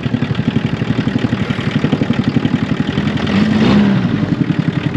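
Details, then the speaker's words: Old VW Golf I diesel revived from wreck, restarted after belt reinstalled and cool-down: even steady diesel clatter, about four pulses a second, no misses or knocks, slight white smoke believed unburnt fuel that should clear; normal idle. "blown a little white which is a little bit of unburnt fuel but i think it'll clear up with some run time all right"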